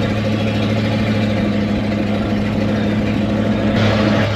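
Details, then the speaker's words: 1979 Chevrolet C20 camper special with 454 big-block V8, revived after sitting about 13 years, cruising about a mile and a half in: steady deep V8 drone, even low hum, no knocks or misses; normal running. "still running good that's uh I don't know about a mile and a half into it clear enough"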